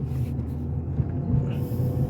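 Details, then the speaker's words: Steady low droning rumble under the car at road speed after tie rod replacement; sounds like a bad wheel bearing, unconfirmed. Steering wheel sits off-center, needs alignment. "now this thing sounds like it has a bad wheel bearing"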